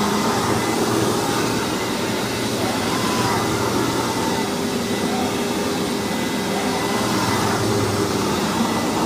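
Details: Hoover WindTunnel vacuum test run after rebuild: loud, steady rushing roar holding even for nine seconds, no rattles or surging; motor is known as loud on this model, running normally.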